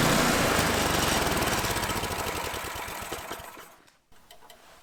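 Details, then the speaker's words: Troy-Bilt/MTD snowblower with a Tecumseh single-cylinder engine, after cleaning a gunked carburetor bowl and a dirty gas tank: fires evenly at a fast, steady beat, then dies away; now running okay. "there it is guys the main problem with this was just the carburetor bolo was totally gunk up and dirty and the gas tank was dirty but now it seems to be working okay"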